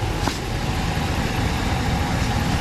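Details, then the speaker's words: 2016 Ram 1500 5.7 Hemi that ran low on oil, after cam and lifter job, MDS delete and PCM unlock, running about 20 minutes, coolant 190, oil 140, 50 psi, oil leak fixed: quiet smooth V8 idle, injectors audible; normal. "I can hear the fuel injectors very clearly. Other than that, she is nice and quiet and smooth."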